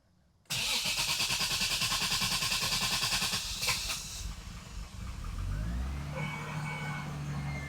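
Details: Toyota Supra MK3 first start after reassembly, with fuel pressure confirmed and the EFI fuse installed: rhythmic cranking for about 3.5 seconds, then it catches and settles into a smooth, even idle; a clean start with no leaks seen.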